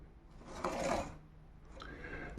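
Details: Ordinary roller glass cutter, held perpendicular with light pressure, scoring cracked window glass with a margin so the crack won't spread: short crisp rasping crunch, then a sharp snap; clean score from a sharp cutter.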